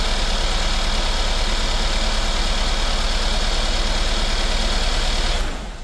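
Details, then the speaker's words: 2016 Mercedes-Benz S550 W222 V8 after spark plug and ignition coil service: uneven, lumpy idle with an irregular low pulse in the exhaust beat; misfires because the coil connectors were left unplugged. "okay all we did was just create more misfires I could feel the car wasn't running right"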